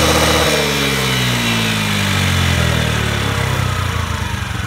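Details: Honda Today moped after engine conditioner treatment for carbon buildup: engine settles from a rev back toward idle, pitch falling smoothly with pulses staying even; runs clean and healthy.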